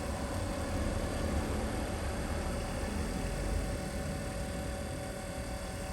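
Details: X-ION MAX RO water purifier pumps loading up as the waste control valve is turned down and the system pressurizes: constant whirring hum with faint steady tone under hiss, no knocking or squeal; normal operation under load.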